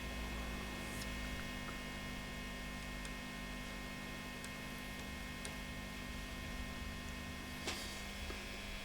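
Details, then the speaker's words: 1960s Selmer Thunderbird 50 MKII valve amp during refurbishment: steady low mains hum with a faint buzz from a capacitor lead hooked onto a 100k resistor, vibrating against the bus bar; moving the lead away cured it. "actually hear it humming so we move that away from there like that great design this and that has sorted that completely solidly so that was just vibrating and touching this bus bar here"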